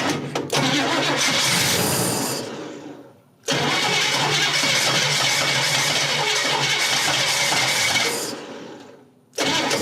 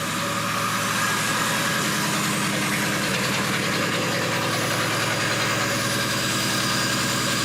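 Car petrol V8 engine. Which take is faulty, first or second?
first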